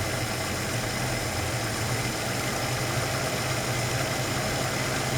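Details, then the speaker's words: Ford Capri Mk I 3000 GT XLR 3-litre, carburettor tune-up: idle wavers and sags with thin uneven note as mixture is set too weak; revs drop, running lean at tickover. "you can hear the revs drop immediately because it's too weak again."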